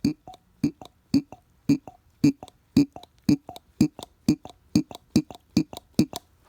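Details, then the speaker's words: Mercedes 190SL, new mechanical fuel pump worked by hand off the car: crisp squeak-and-click strokes just under twice a second; this squeak is normal for a working pump, which should give a strong high-volume, low-pressure stream. "that squeaky noise is what it's supposed to do"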